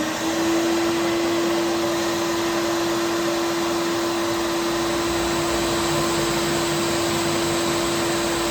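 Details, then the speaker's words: Wide belt grinder finishing the flange of a 14 ft, about 6 1/8 in aluminum beam, run very slow to avoid heating the part: steady constant-pitch whine with even hiss throughout; low belt speed pass. "going to run, we're not going to put a lot of heat in that part, so we're going to run it very slow."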